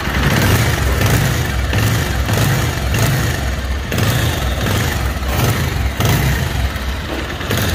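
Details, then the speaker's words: Bajaj Pulsar 220cc motorcycle at idle: heavy, steady hammer-like knocking beats in a regular pattern under the idle; deep internal engine knock, source not yet pinned down. "तो दोस्तों जैसे कि आपने इस गाड़ी की आवाज़ सुनी है, इस गाड़ी के अंदर हथौड़े जैसी आवाज़ आ रही है, गड़गड़ गड़गड़ गड़गड़ गड़गड़ गड़गड़।"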